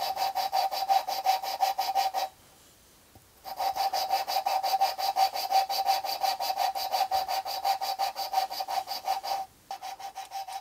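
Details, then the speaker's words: Valve lapping on a 1975 Jaguar XJ6 4.2 head rebuild, valve rocked back and forth by hand with compound. Gritty rasping about three strokes a second, rough like sandpaper, so the compound is still cutting the seat. It quietens once lapping is done. "you hear now how it sounds really rough like rough sandpaper after a while it will get more and more quiet"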